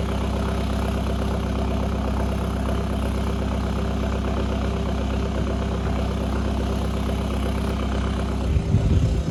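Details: Remapped VW Caddy 2K diesel idling just after its first start with a replacement GTB1756VK hybrid turbo, new box and 4-inch roll tip: deep, loud, steady idle with a raw booming exhaust note and no muffling. Loud straight-pipe exhaust at idle.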